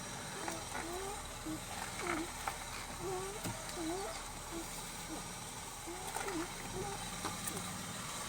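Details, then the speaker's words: Lexus RX 300 (Toyota), engine idling: short rubbing squeaks each time the steering wheel is turned back and forth. The noise comes from a steering column contact point, which is treated by working in engine oil with a cloth. Steering wheel squeak. "всем привет хотел бы поделиться как можно будет устранить неприятный звук руля данном случае это вот этот зуб не скрипит или визит не знаю как его описать"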